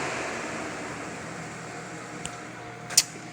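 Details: Cooling fans commanded on through a scan tool's active test: smooth, even airy whoosh that holds steady then eases slightly, no rubbing or grinding; normal cooling fan operation.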